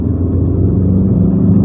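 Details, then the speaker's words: 22-year-old, 300,000 km common-rail JTD-family diesel after high-pressure pump rebuild for codes P0090/P0091; third gear full acceleration, rail pressure about 1340 bar near target; deep smooth rising rumble, no misfire or hesitation, pulls very well, normal. "Let me just do an uphill over here. The car pulls very, very well."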